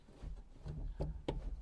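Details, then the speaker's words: Ford Fiesta Mk5 or thereabouts: dull thumps then two sharp clicks when the clutch pedal is pressed, from a loose part on the pedal shaft linkage; car drives fine; fix uses an 8mm shaft clamp. "he said to me Simon all my pleasure is taken away when I press my clutch pedal because it makes some weird noises so let's have a look"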